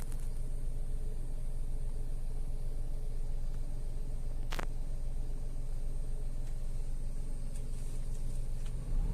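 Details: Tata Altroz petrol after its 3rd service (oil and air filter changed): quiet, smooth, steady idle around 1000 rpm and settling, with no ticks or misses; engine now smoother and healthy.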